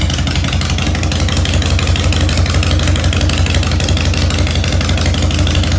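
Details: 2001 Harley-Davidson 1200cc V-twin, 19,866 miles, in neutral, needing some work, idling in the garage after starting: an even, loping twin-cylinder idle at a steady beat with no misses, knocks or rattles; runs healthy.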